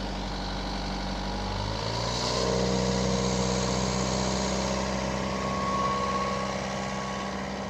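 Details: Boat diesel engine, throttled to 2,000 RPM and warming toward its usual 160°F with good oil pressure: steady, even drone swelling smoothly, no knocks; earlier white-smoke worry (possible internal water leak) not seen now. Normal running under load.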